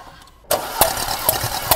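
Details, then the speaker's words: 2018 Porsche Macan 2.0 gasoline, 95,000 km, misfire codes on cylinders 3 and 4 with fuel-wet plugs: cranking with plugs out gives even compression pulses about every half second; compression normal on all four, ignition coils suspected. "톱 다행히도 1 2 3 4번 압축이 정상이네요"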